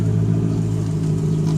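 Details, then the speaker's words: Toyota/Lexus power steering after a full flush with ATF (Dexron): a steady, smooth engine hum with no whine, where a slight power steering whine was heard before the flush. "No noises whatsoever now. Before it was a slight, power steering whine."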